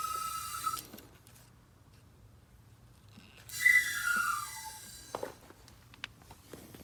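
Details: Gas meter gives brief high whistling tones that slide downward; the supply pipe was too small, and a thicker pipe stopped the noise.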